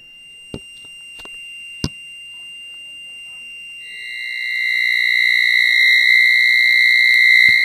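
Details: 1980s microwave oven after five blackouts in a week: faint clicks, then steady high whistle with a second tone rising in and holding; strange electronic tone, cause unknown.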